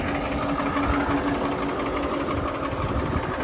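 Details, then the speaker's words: 52-year-old Massey Ferguson 1800 diesel tractor pulling a chisel plow in very hard dry ground: steady even drone under heavy load, no knocks, misses or surging; normal running. "tell you what friends this uh this old tractor sure didn't disappoint today at all listen to that baby just Pur doesn't that sound"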